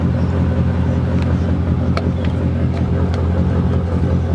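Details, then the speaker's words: 1999 Mercedes E55 AMG after fitting a junkyard coil pack on cylinder 4 for a misfire: deep, steady V8 rumble reversing at low speed, with no stumbles or skipped beats; misfire no longer felt. "So, it doesn't feel like it's misfire and reversing out."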